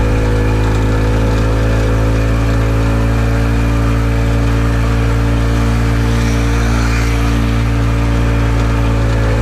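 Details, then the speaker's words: Harley golf cart engine after retiming, which previously ran faster in reverse than forward, while moving: steady even drone, firm low hum, no misses or popping; runs much better; belt may slip from clutch oil, carb leaks fuel. "definitely runs a lot better than it did before"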